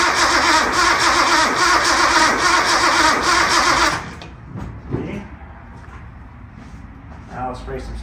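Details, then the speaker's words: Barn-find Datsun 240Z, first start attempt after sitting about 30 years: strong steady cranking, scattered pops on starting fluid sprayed in carburetors but no catch; spark present, fuel filter not hooked up, starving for fuel. "So really, we just need fuel. Well, it does pop off. So that means we're getting spark. All it needs is fuel."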